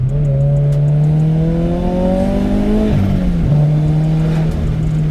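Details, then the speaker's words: Turbocharged Subaru BRZ (Speed by Design kit), blow-off valve replaced by block-off plate, driving at about 4–5 psi boost: note climbs under light boost, then on lift-off breaks into a brief choppy flutter, compressor surge, with some backfire. "but woo the backfire love it definitely getting that iconic turbo surge sound there love it"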